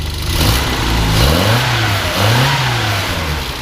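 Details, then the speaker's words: Restored 1958 Morris Minor 1000 quarter-ton pickup upgraded with a 1275cc four-cylinder, 4-speed manual: smooth revving, pitch rising and falling evenly with no knocks or misses, like a sewing machine; normal engine revving. "Just runs really smooth. Sounds great. Go ahead and rev it up a little bit."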